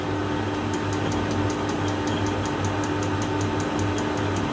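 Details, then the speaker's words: Commutator of the REVA G-Wiz traction motor being skimmed on a lathe; sharp, even clicks about four or five a second over a steady lathe hum as a raised commutator bar strikes the tool each turn. Heavy commutator wear; the same clicking was heard with brushes refitted. "there's quite a lot of wear on this competitor yeah that's what we um that must have been the sound when i put the brushes back in you can really hear the clicking"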